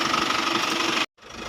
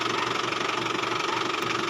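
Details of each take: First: Isuzu Travis diesel van after fixing power steering noise when turning: engine runs evenly with no steering whine, bearing no longer stuck. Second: Isuzu Travis diesel idle: steady whining hum on top, noisy steering when turning even after belt was replaced; seized power steering pump bearing.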